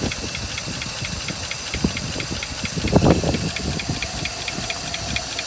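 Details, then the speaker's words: 1956 Buick Century, original, restarted after topping up oil that was a quart low: a fast light steady tick over a rough, hissy idle; one lifter suspected not pumped up, left running to see if the tick goes away. "it definitely sounds like it's got one lifter that's not pumped up we'll just leave it run for a little bit"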